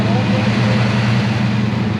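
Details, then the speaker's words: First startup of the engine after the oil filter fell off while revving at 6,500 rpm: smooth, even idle rumble with good oil pressure and no knocks or ticks; engine sounds healthy. "oh pressure good all right yeah it sounds good he's gonna back it up a little bit"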